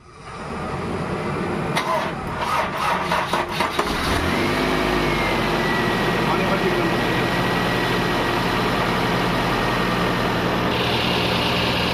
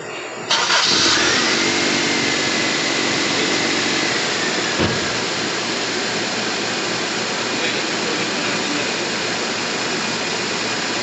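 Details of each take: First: Toyota Corolla GLi 4A-FE with hard starting, high cold idle, dropping hot idle and stalling on shifting to R/D: cranks, catches, then a slightly uneven, lumpy idle; ignition timing too far advanced, vacuum hose found misconnected. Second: Toyota GLI 4A-FE engine after repair, formerly hard-starting, noisy and stalling on shifts: cranks briefly, catches cleanly and settles into a steady even idle with no misses, holding when shifted to reverse and drive.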